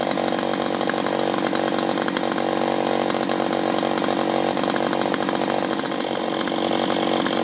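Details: 1983 Echo PB400E two-cycle leaf blower, warmed up and throttled up outdoors after a new fuel line and fuel filter, exhaust-port carbon cleaning and air filter cleaning: strong, even high-revving buzz, steady without surging or bogging; normal running.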